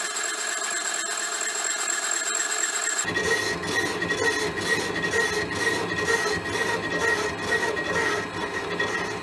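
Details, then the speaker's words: Elliot 14S mill boring a 6.5-inch hole in cast iron, handheld recording: steady rasping cut with faint high ringing and a regular pulse about once a second; slight tool chatter, finish still acceptable. "Sounds like it's trying to chatter. it's going. It ain't fast, but I'm getting a suitable finish. There's a tiny bit of chatter, but nothing that's going to upset me for what it's doing."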